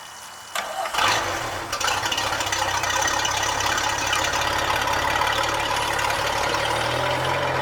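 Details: Tahoe boat engine after routine service with oil, filter, fuel filter and new spark plugs (compression 169–179 psi on all cylinders), previously running on 3 or 4 cylinders; brief crank, quick catch and smooth steady idle on all cylinders, though a minor miss remains.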